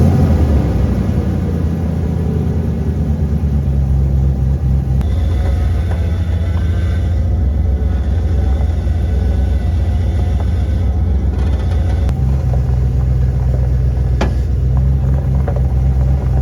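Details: OBS Ford with a stock 5.0L V8 after a Saginaw power steering pump swap (1990s E-Series van bracket, pump and hose): deep V8 rumble in an acceleration test through the gears, with no steering pump whine.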